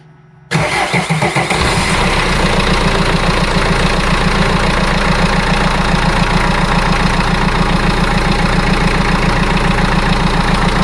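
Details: Vivaro diesel after replacing holed fuel priming bulb and fuel line and bleeding air: quick crank, catches immediately, steady even diesel clatter at idle with no misses or stumbles, no leaks; healthy start and idle.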